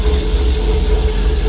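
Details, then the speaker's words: LS V8 swap with VATS deleted, first start; oil gauge reads a maxed 130 psi, suspected bad sensor. Short, steady low V8 rumble with an even beat and no knocks or misses: normal idle. "That thing fired up right now. Damn, she sounds good."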